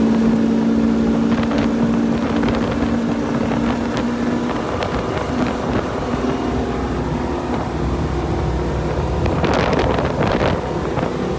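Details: Boat with GT-40 engine after fixing intermittent surging by resoldering a broken capacitor wire on the computer board, test drive underway: steady even engine drone with wind noise, no surging or hunting; running healthy.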